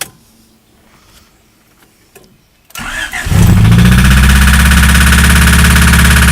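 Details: Honda D16 engine: the starter cranks, it catches, then a steady rapid knock runs under the idle. Rod knock.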